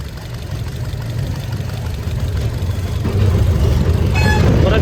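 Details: 2021 Maruti Suzuki Dzire petrol/CNG with P0302: lumpy idle with a dropped pulse every few firings after swapping cylinder 2 and 3 coils; vibration unchanged, so cylinder 2 still dead; coil, wiring and plug fine, injector next to check.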